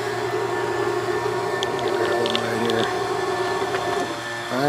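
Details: Bambu Lab X1 Carbon AMS after a broken filament piece was removed from the detection sensor: a steady, even feed-motor hum with a short rising whir as the filament drives through. Loading is now normal.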